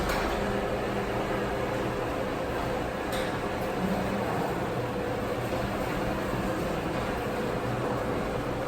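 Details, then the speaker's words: Garage door after silicone lubrication, formerly creaking and squeaking: even steady opener drone as it raises and lowers, no creaks, squeals or groans; quieter with each cycle after lubing. "you should notice that it gets quieter with each raise and lower now you'll hear that my garage door doesn't have the creeps and groans anymore"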